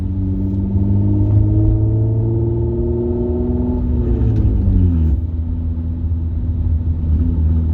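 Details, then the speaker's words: Car driving home with catalytic converter stolen, around 1500 rpm cruising; deep booming open exhaust drone swelling and sagging with throttle, Harley-like and louder than a nearby Dodge Challenger. "sounds like that harley almost see i don't know how you guys with the harleys i don't know how you guys stand this noise it's just too much"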